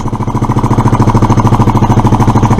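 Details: Suzuki Address scooter, running without air filter: fast even putter about eleven pulses a second, no stumble; idle probably set a little too high, cause suspected, not confirmed.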